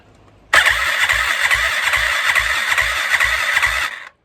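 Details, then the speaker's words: Yamaha YFZ WR450 478 hybrid single after head gasket repair, with a used OEM replacement starter: starter spins evenly at about two and a half compression pulses a second, strong and regular; healthy crank, compression good. "we have the new replacement starter on there well it's oem but it's used so it's a new one it's better than the other ones that come on and i just wanted to show that turning over"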